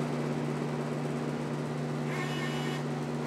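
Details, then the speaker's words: Miller CP-300 welder with new MIG gun and .045 tip fitted: wire feeder jogging at slow and fast speeds gives a steady low motor hum, even pitch, no catching or chatter; feeding works well. "and we're feeding slower fast that works good that works real good"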